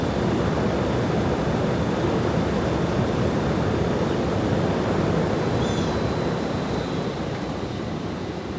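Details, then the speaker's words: 1908 Davidson Ventilation Company 48-inch exhaust fan slowed to 15 on its knob speed control: smooth, steady low rush of air with no knocking, rubbing or wobble, running fine at low speed. "Well, it actually slowed it down, didn't let it coast. I'm not gonna lie to you, you could get away with running it like that."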